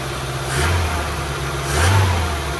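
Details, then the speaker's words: 1978 BMW E21 316 barn find, first start after 32 years on a remote fuel tank with substitute Ford condenser: smooth, even idle held a little high with two gentle swells; running on choke. "So, I've rigged up a fuel tank, remote fuel tank, and it sounds like the choke's on."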